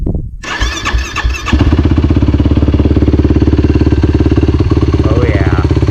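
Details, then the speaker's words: 2019 YFZ450R fuel-injected quad, first ride, started with no throttle after the fuel pump prime: fires instantly into a steady, even single-cylinder thumping idle with no missing or knocking. Healthy start. "Fires right up."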